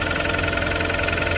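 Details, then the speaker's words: Kia Sportage 3 with 2.0 G4KD engine, under 105,000 km, cold start before overhaul: a steady idle with a quick, even ticking knock over the engine note; a mechanical knock inside the engine. "Так, это сейчас холодный пуск. 105 тысяч даже нет. Веселый перестук."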